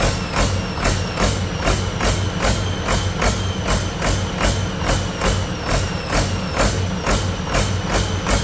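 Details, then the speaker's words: Detroit 40 series generator turbo diesel (rebranded Navistar DT466, possibly DT530), sat outside 5+ years, run briefly without coolant: heavy note pulsing about twice a second; apart from surging it runs well, no knocking or banging; governor suspected, unconfirmed. "But other than the surging, everything sounds like it runs pretty good. Yeah. No knocking, no banging."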